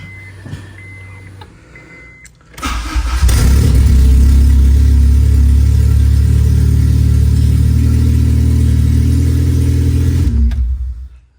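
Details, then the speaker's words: K24-swapped DC2 Integra, start on newly uploaded map, VTEC oil pressure code pending: short crank then fires into loud raspy open-exhaust idle held several seconds before shutoff; normal start and idle. "She runs."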